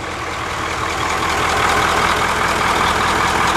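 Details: Bus with 9-liter diesel idling after valve adjustment that corrected a too-tight number 7 exhaust valve, suspected cause of a long-standing odd sound back through the intake. Steady, even idle with light regular clatter, no thump or miss. Normal diesel idle.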